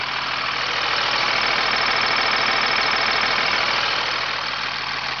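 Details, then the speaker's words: 2000 Freightliner FL-80 grain truck, 250 hp 8.3 L Cummins diesel, 57,000 miles, dipstick tube pulled for blow-by check: steady even diesel clatter with no puffing or blow-by escaping; healthy engine running normally. "folks, as you can see there in the video, this truck has absolutely no blow-by escaping this motor whatsoever."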